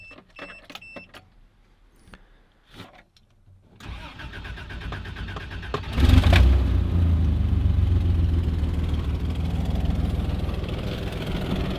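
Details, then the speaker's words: Toyota FJ62 Land Cruiser (62 series) with a sketchy putty-sealed, possibly clogged fuel filter and a compression test still pending; it cranks, catches in about six seconds and settles to a steady, quiet, even idle with no knocks or misses. "so she purs pretty pretty quietly um like I said engine runs pretty good"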